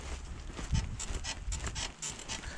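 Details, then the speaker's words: Lada Niva Travel, 28,000 km, body rocked by hand: rhythmic creaks with a thin high squeak on each push near the front suspension; not the bushings, upper or lower ball joints suspected, not confirmed. "слышите вот так то есть скрипы идут где-то отсюда давайте же обнаружим их источник ну звук идет близко то есть явно не эти самые не сайленблоки но и характер скрипов у них немножко другой"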